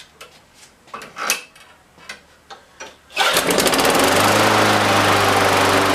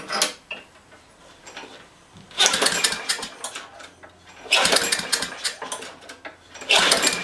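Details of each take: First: Craftsman small engine that wouldn't start and lacked a muffler, after gasket/muffler refit and cleaning: several cord pulls, then catches and holds a steady even high-speed buzz; running fine. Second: Craftsman high-wheel push mower with a 6.75 gross ft-lb Briggs engine, no muffler and a bone-dry tank, given a little gas and pulled. Loud unmuffled bursts fire briefly after each pull, then die out; carb problems are expected.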